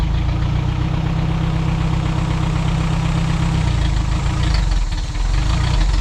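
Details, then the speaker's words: 1987 Toyota 4Runner rebuilt engine after distributor moved one tooth, no exhaust fitted, dumping straight out; steady even idle, loud raw unmuffled rumble, no misfire or knock: runs pretty good. "She sounds like she runs pretty good. She's obnoxiously loud. This thing has absolutely no exhaust."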